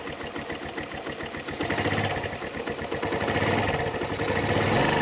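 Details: Suzuki Yes motorcycle: small single idles with a quick regular tapping, about four per second, over the exhaust beat; cause of engine noise unknown.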